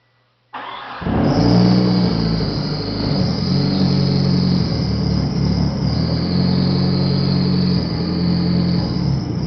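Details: 1995 Eagle Talon TSi, DSM 4G63, 200 miles after new timing and balance shaft belts: catches and settles into an uneven, lumpy, wavering idle. It backfires and dies and acts like it jumped time; the alternator isn't charging.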